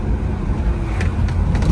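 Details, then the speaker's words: 1968 Firebird with 403 engine swap on its first road test, cruising in 2nd gear: low, steady engine and road rumble under light load, soft clutch-fan whoosh, no knocks or whine; remarkably quiet and healthy. "All you can hear is the fan. And it's a clutch fan too. It's just hard to believe it's so quiet in here."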